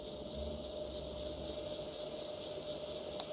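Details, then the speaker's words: Trix/Märklin Porsche BR 152 model locomotive after installing Micromotor.eu HMT008G coreless motor with Loco Pilot V5 decoder: only a faint even gear whir over low hiss, no rattle; a whole lot quieter and smoother than before. "Oh, a whole lot quieter and smoother."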